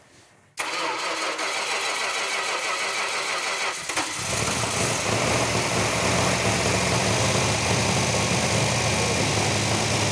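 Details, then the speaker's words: Rebuilt V8 in a 1971 Dodge Challenger R/T on the run stand, first start with the right-hand muffler off: cranks a few seconds, then a loud, steady, even idle firing on every cylinder, no misses or knocks; healthy. "You can actually feel that engine firing on every cylinder."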